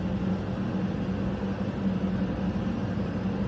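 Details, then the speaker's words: Hoover H-DRY 300 tumble dryer, dented after a fall, running after the two drum dents over the support rollers were straightened: only the steady motor hum and drum rumble, no thumping "gup-gup" as before the repair. "Зараз ми її включимо послухаємо як вона працює Ми чуємо лише крутить як крутить мотор ми не чуємо Ніякого гуп-губ гуп-гуп нема"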